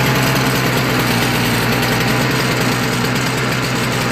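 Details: Toro CCR 3650 R-Tek single-stage snowblower single-cylinder engine, after carb cleaning, started by pull cord after priming with carb cleaner. It holds a fast, even, rattly beat without stumbling or dying. Running normally.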